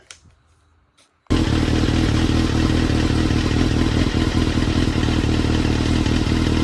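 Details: 22-year-old Honda CBR954RR Fireblade, revived after sitting months by wiring repairs and basic cleaning: fires and holds a loud raspy busy note, no obvious misfire or knock; earlier backfired with flames; normal running.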